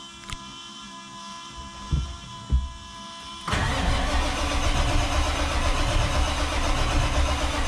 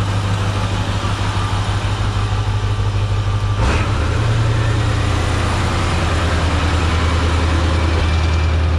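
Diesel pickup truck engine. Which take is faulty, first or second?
first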